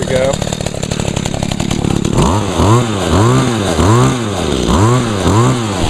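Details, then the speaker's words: Echo two-stroke engine on 50:1 gas-oil mix with little fuel, started on choke after priming; fires up into a clean buzzing idle and blips smoothly with no stumble. Runs real good, normal running. "cool yep she runs real good"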